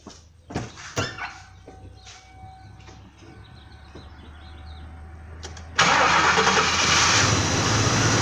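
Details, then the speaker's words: 1993 Lincoln with 4.6L engine that hesitates, backfires and barely exceeds 25 mph (bad spark plugs, dirty airflow sensor found): cranks briefly, catches and settles into fairly steady idle; no miss at idle, misses only under load. "so at first glance it doesn't look like or sound like it runs bad at all starts right up pretty well and idles pretty well"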